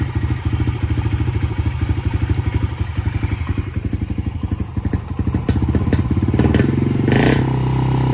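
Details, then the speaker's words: 2019 Yamaha TTR 50, cold-blooded and only running on choke until warm: single thumps, then revs climb and hang instead of dropping back, a hanging idle meaning the mixture is still too lean while the mixture screw is turned out. "kind of like a hanging idle, and that just means we're still a bit too lean. See how it's hanging?"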